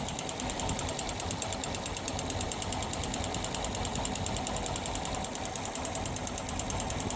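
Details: Yamaha FZS engine running: fast, even ticking knock over the engine at a steady rate; an abnormal internal knock, cause not yet pinned down.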